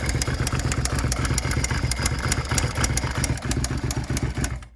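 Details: First-gen carburetted Suzuki SV650 V-twin, a non-running stolen-recovered project, first start-up: sharp regular clatter, roughly four knocks a second, over a rough idle until shutdown. Owner suspects a valve; minor vacuum leak and oil leak noted; unconfirmed.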